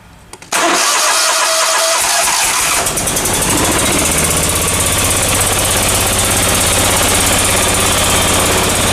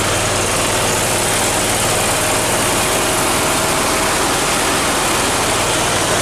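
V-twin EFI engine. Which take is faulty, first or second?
first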